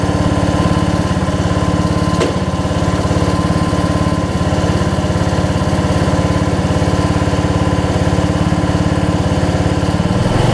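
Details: Weed Eater riding mower with a 16.5 Briggs single-cylinder engine, 42-inch cut and six-speed, after refitting the fuel bowl and confirming the switch works. It runs at an even, steady beat with no misses or surging, so fuel is reaching the carburettor.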